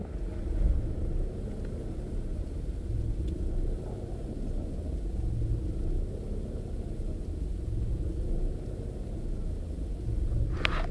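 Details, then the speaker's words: Opel Astra G 1.6 16V X16XEL warming idle, revs swelling and sagging in step with the lambda sensor graph; swapped lambda sensor changed nothing, so owner rules it out. Hunting stops near 66-68 °C coolant; later traced to faulty engine control unit. "Tak więc s lambda raczej nie idealnie równo wykres sondy Lambda pokrywa się z wahaniami obrotów do góry wskazówka na dół wskazówka"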